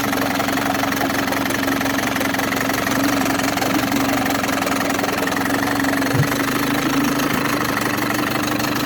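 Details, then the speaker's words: Older Mercury outboard, probably 1980s, either 7.5 or 9.8 hp, with a new impeller and gear oil: a smooth, steady two-stroke buzz at an even pitch with no misses or knocks; runs well. "all right here's a really good running probably 10 horse mercury outboard"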